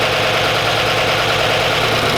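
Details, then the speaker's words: Auction Chevy Silverado Z71 V8 after a top-end rebuild for a collapsed lifter, with DOD deleted, first start: fast, busy ticking from the top end over the idle as the new lifters fill with oil. Lifter chatter from unprimed new lifters. "So, there's a lot of lifter chatter, but I expected that with it being brand new, the whole top end and everything."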